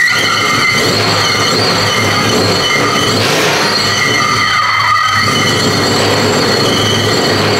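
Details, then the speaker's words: Fully built high-compression BMW M54 first start: a loud, unbroken metallic screech and whine continues after the engine fires, with sparks underneath; starter not disengaging, grinding on the flywheel. "The starter is not disengaging."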